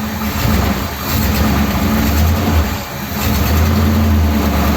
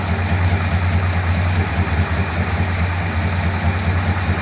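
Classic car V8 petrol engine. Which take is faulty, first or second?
second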